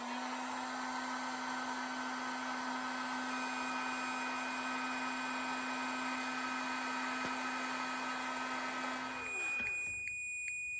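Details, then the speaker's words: Home heat detector rated 131 degrees, heated with a heat gun and held near the microphone: a thin high buzzer comes in under the gun's steady roar and keeps sounding after the gun stops. It tripped faster than the other detector's 15 seconds. "This one is rated 131 degrees, and what we'll do is I'll hold this up so you can hear the beep next to the speaker when it goes."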